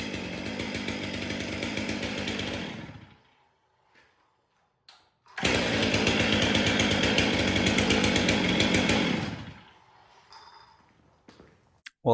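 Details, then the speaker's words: Stihl MS 500i chainsaw, in for a noise while starting; starts and revs hard and even, drops back cleanly, then another strong full-throttle run; no rattle or bogging. "Was not here for a running issue, just a noise while trying to start it."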